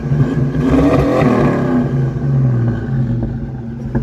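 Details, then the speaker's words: 1982 Ford Mustang GT, carbureted V8, started and revved with some gas: hard revs with a few sharp pops through the intake; backfiring back through the carburetor. "Got a little bit of backfiring through the carburetor, but it sounds good, buddy."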